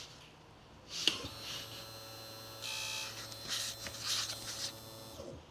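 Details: EFI generator whose fuel pump sits under a cover near a dented tank; it quit after an impact. A thin electric buzz with a low hum runs about four seconds as the pump cycles, then stops; the damaged pump delivers almost no fuel.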